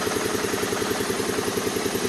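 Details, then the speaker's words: 2010 Kawasaki Teryx 750 V-twin, hard start and no idle from too-tight intake valves, after adjusting both intake valves: fires right up into a steady, even idle with regular lope, no ticking or misses, no sputter; runs healthy. "Changed both intake valves, adjusted them where they're supposed to be. Fires right up, runs good. Plenty of power back. No more spit and sputtering."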